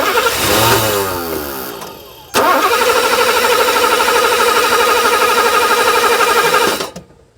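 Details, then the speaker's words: 1984 Mercedes 500 SEL pre-merger AMG that sat for 27 years, after a one-turn fuel mixture adjustment: it cranks, catches and runs roughly for a few seconds before dying; this is its best start yet on its own fuel system. "well there we have it okay all right that was the best start on its own fuel system that we've gotten"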